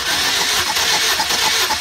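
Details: 2006–2011 Honda Civic cranking during compression test, plugs out, cylinders reading about 180 psi including misfiring cylinder 2: even, quick chuffing beats, steady rhythm; normal cranking.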